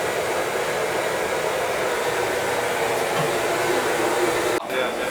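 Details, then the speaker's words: A Viessmann boiler's oil burner, after a new nozzle, reset pump pressure and air band adjustment, gives a steady breathy flame and fan roar with no sputtering and no smoke. It is firing cleanly. "new nozzle, reset pump pressure, and good oil flow. You can hear it's not spittering, sputtering or nothing."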